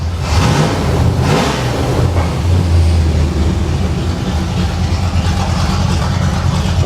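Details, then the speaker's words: 1989 Pontiac Trans Am GTA V8, running hot after long storage, hitting on all eight. The engine picks up cleanly when the throttle is blipped and settles back smoothly, with no misses or mechanical noise. Normal revving. "I'm going to give it some RPM. [Music] Oh, it loves it."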